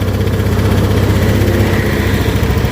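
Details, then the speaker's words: Honda Beat scooter after carbon cleaner treatment, started on the electric starter: after high rpm the IACV opened then closed, and the idle settles into a steady, even putter with no knocks or misses; normal idle. "Oke, IACV bekerja tadi, terbuka terus sudah nutup, RPM sudah kembali normal. Tadi RPM tinggi, udah ya, aman loh."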